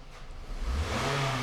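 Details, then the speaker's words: 2007 Scion tC that arrived dead with no crank, after charging battery and fitting a missing 10 A fuse: engine picks up cleanly from idle, pitch climbing smoothly as throttle opens; revs freely and shifts from Park, normal revving. "it revs and it moves from Park wouldn't you know it an't that just beautiful"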